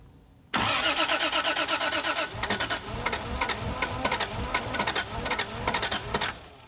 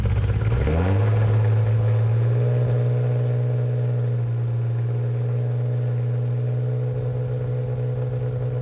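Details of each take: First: 2JZ-swapped Hellcat cranking on pump gas: rhythmic cranking pulses that never catch. Crank-no-start because the starter wire in the fuse box couldn't carry enough amperage; fixed by moving to a different wire. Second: 2JZ straight-six swapped into a Hellcat, on pump fuel, first run after starter fix (wire moved in fuse box): catches, settles into smooth even idle, revs cleanly and drops back; super high oil pressure, normal idle and revving.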